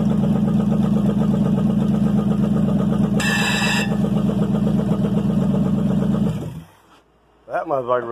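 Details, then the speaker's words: 305 V8, first start in years; steady even beat at settled speed with no knocks or misses before shutting off, runs smooth; normal running. "smooth run good ain't no doubt"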